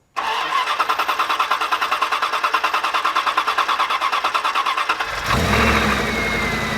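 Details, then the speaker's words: 1994 Dodge Dakota after a new air filter and intake cleaning; five seconds of even cranking at about three beats a second before it fires and settles. Owner assumes the long crank is from cleaner being drawn through the intake. "now it did hesitate start the first time kind of cranked for a while and then it fired up"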